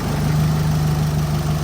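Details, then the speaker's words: Chevrolet engine rebuilt after broken piston rings, started after a one to two day run-in to check heat, oil and leaks, before road test: smooth steady low idle hum, no ticking, knocking or misses; healthy. "จะรันทิ้งไว้อย่างนี้เลยนะฮะประมาณ1วันหรือ2วันสตาร์ทไปก่อนนะครับรันไปก่อนดูนะความร้อนนะฮะดูน้ำมันเครื่องนะเช็ครอยรั่วตามจุดต่างๆนะฮะว่ามีรั่วหรือไม่นะ"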